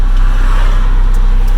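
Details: SR20DET turbo Datsun mini truck, after a fuel-system fix with an uprated fuel filter, driving under load up to 120 km/h through the gears: a deep steady drone with no stumble or surging. There is a slight unexplained issue in second gear.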